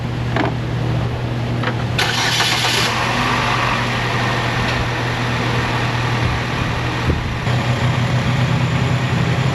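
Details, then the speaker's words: Chevrolet Malibu started on new battery that was only partially charged (12.4 V); short crank, engine catches at once into steady even idle, charging test then showing 14.7 volts with no ripple; healthy start. "It just wasn't fully charged, but that's basically how it works. It started the car right up."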